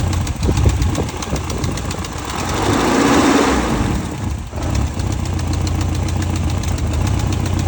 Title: 1989 E30 M3 S14 Engine Ticking Noise 170K Miles